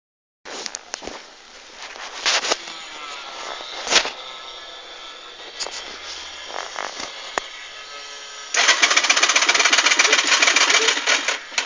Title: wont start